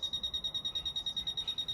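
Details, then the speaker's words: Fisher F-Pulse Air pinpointer in an air test: short high-pitched beeps at about eight per second in a steady rhythm with the target very close; normal fast proximity alert, one of about 10 beep rates. "vous entendez les bips devient de plus en plus rapidement"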